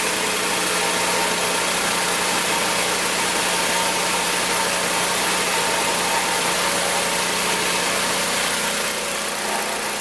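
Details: Magna air compressor, circa-1983 Briggs and Stratton engine, sat 5 years, first start on carburetor alone: steady even pace under compressor load, no misses or knocks; runs awesome, builds 100 psi, owner may raise to 120.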